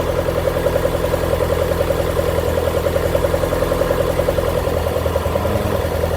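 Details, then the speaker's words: Honda B20 VTEC, first start after new head gasket, stock GSR tune, check engine light off: light steady tick about three to four a second over even idle; owner unsure of the noise, source unclear. "Check engine light went off. See how it goes. Not sure what this noise I hear is."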